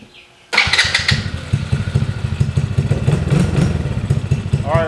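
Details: Daughter's ATV after replacing broken starter switch and charging battery: fires right away after short crank, settling into steady, even idle with regular low pulse; normal start.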